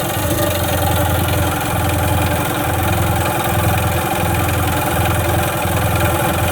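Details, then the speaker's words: Sea-Doo carbureted engine before carburetor cleaning and fuel line replacement: starter churns in a steady rhythmic pulse about 1.5 per second, never catching; cranks but won't start, not getting fuel yet. "uh all right it's not starting it's not getting gas yet"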